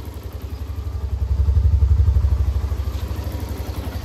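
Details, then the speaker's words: Hero Xtreme 125R, 11 months old, about 8,640 km, idling outdoors in some wind: low, even putter at about four beats a second with steady rhythm and no clatter; owner judges the idle fine. "एक बार ideal sound सुन ideal प मेरे को ठीक लगता ना को लगता फिर भी आइडल प साउंड सुन लो"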